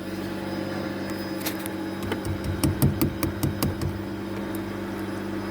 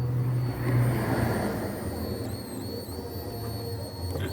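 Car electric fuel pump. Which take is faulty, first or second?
second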